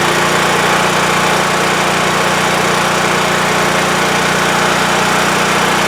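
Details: WEN TF1450X 14500W tri-fuel generator after repair of a fault where it died after 20 seconds losing spark: steady, even buzzing drone at constant governed speed, no surging or dying off; running healthy, display shows 232 volts.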